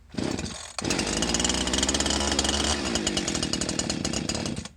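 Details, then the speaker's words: Old Husqvarna 345 chainsaw, previously run lean or overworked, just rebuilt with a cheap Amazon top-end kit, on 40:1 two-stroke mix, first start after switching off the choke: fires and holds a buzzy, fairly steady rev without bogging; runs. "it runs. So I'm gonna try and get it to idle here just for a little bit, so she kind of heats up nice and slow."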